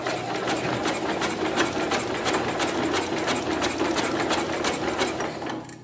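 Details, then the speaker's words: 1970 International Cub Cadet 127, sat 10+ years as a parts tractor: electric starter cranks the engine with the spark plug removed after the voltage is raised. It gives quick, even whirring pulses about three a second and spins freely. "I want to see how this engine turns. If it turns good, or if it's going to give us problems, or how compression, well, not compression because the spark plug's out of it."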